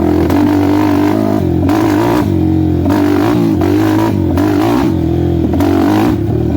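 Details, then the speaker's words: 2007 Suzuki LTR450 quad: idles and revs fine, but under throttle revs surge and drop with irregular popping, banging and stumbles, no power; contaminated fuel suspected in fuel system, cleaned afterward. "It'll idle and rev fine, but oh, if you don't stall it. You guys hear that popping and banging?"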